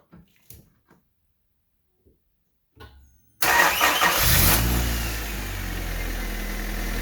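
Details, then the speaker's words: 1988-91 Honda Civic/CRX EF9/ED7: brief slow cranking, then catches and idles steady. Battery drops to 9.8 V when cranking (under 10 V); alternator charging at 14.3 V. Weak, worn battery. "anywhere below 10 is showing that the battery is actually pretty worn so we're going to crank it over and see if this actually goes below 10."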